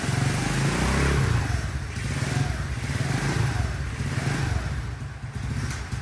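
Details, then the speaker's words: CT70 clone small single with a Nibbi PE carburettor after jetting adjustment, choke off: revs up cleanly with no bog, then drops back to a lumpy but steady idle; previously it bogged and died until warm, air-fuel screw still needs tweaking. "Yeah, better. Way better. Choke is off when I can rev it."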